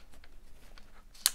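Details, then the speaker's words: Makita DDF453 cordless drill (2021) with German Röhm keyless chuck: a single sharp click when the tightened chuck is turned back locks it so it won't loosen on its own during work; normal. "слышите щелчок произошел вот и вот таким образом мы его заблокировали и он самопроизвольно не раскрутится"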